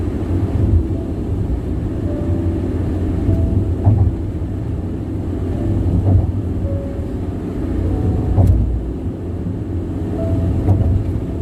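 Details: Car at highway speed on Bandung-Jakarta toll road: steady deep tire roar rumbling under everything with occasional thumps over joints; excessive tire road noise, cause not pinned down.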